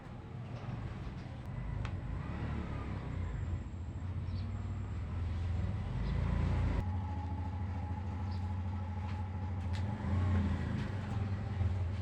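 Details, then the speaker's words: Suzuki Burgman Street 125 scooter with fuel gauge at 3 bars has lost its idle: on a normal start it catches but only keeps running while the throttle is revved, a rough uneven low rumble, stalling without throttle; cause unknown. "So normal lang na pihit. So wala siya. So kung papaandal nito, kailangan natin na revolusyonan para andal siya."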